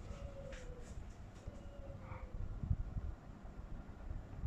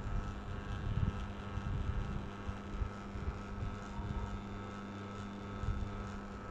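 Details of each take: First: Panasonic F-M14C7 ceiling fan after its circuit board was replaced to cure a strange noise; it now runs much more quietly, with only a soft low rumble and no buzz or clicking. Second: Panasonic F-M14C7 ceiling fan runs with a steady electrical hum and uneven low rumble because its control circuit board is too weak to spin it properly; the fix is replacing the board.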